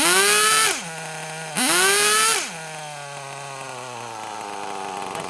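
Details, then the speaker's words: Kyosho Mini Inferno nitro RC car after ticking over a few minutes, low batteries causing throttle delay: two sharp clean revs to a high scream, then steady buzzing idle that sags near the end; sounds a lot better, running clean. "sounds a bit better, doesn't it? Oh, stop though, but that sounded a lot better, that did."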